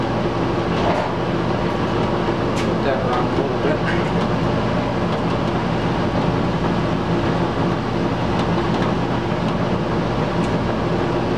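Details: Old squirrel cage blower after worn belt replaced with new belt, tensioned to about an inch of deflection: steady, even rush of air with low drone, no slap, squeal or chirp; belt drive runs normally.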